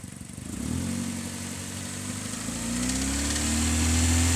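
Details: 2002 Hyundai Elantra petrol engine revving with a dry rattle on the exhaust note. The engine is also burning oil; the rattle's source is unknown.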